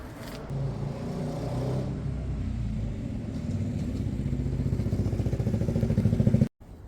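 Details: Honda CB200 motorcycle engine: rhythmic pulsing that grows louder and quicker over a few seconds then cuts off; recurring engine noise, cause unknown.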